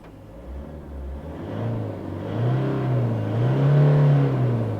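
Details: Isuzu All New D-Max diesel revved to about 3,800–4,000 rpm after repair; climbs smoothly from low rumble to steady drone without stumbling, and the fuel-pump warning light that previously showed near 4,000 rpm no longer appears.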